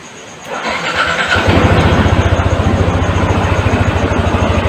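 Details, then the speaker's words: Yamaha NMAX that would not start, error code 19 side stand fault from alarm system; after repair code cleared; starter whirs, engine catches and settles into an even idle thump; normal engine start. "Alhamdulillah sudah bisa menyala lagi."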